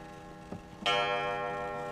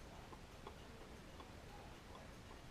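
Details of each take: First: Antique grandmother wall clock, hung on a wall 20 years without chiming, first test before restoration: a single clear bong slowly dies away over faint ticking; the strike train still works, a nice chime, some hope for the mechanism. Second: Antique Grandmother wall clock, 20 years on a wall without chiming, dirty pivots and dry springs, before cleaning: faint, quiet ticks in a small room with uneven tick-tock spacing; movement running out of beat.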